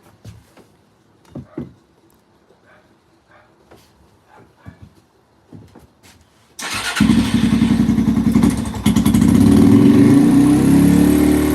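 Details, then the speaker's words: 2005-2009 Yamaha TTR-230 single: quiet clicks, then it starts and settles to a steady beat about 220 per minute, falling flat off choke but running great on choke; seems fuel-starved, carburetor suspected, spark plug burn looks fine. "it's like it's just not getting enough gas H interesting hm runs great with the choke"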